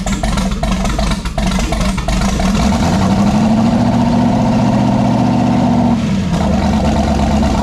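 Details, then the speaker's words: Fresh twin-turbo 5.3 LS V8 in a Monte Carlo with a T56 and turbo mufflers, first start in over 20 years: steady, fairly quiet idle with a soft muffled burble and no knocks or ticks. "it's actually quieter than i thought that was like two half a second of cranking and here it is"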